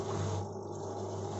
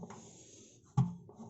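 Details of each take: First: Washing machine that had hummed loudly during spin, running after the heating element was refitted and sealed: a short, steady low hum with no knocking, banging or rattling; normal running. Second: Washing machine on spin: low drum rumble broken by sharp bangs, as if something is stuck inside; noise absent outside spin.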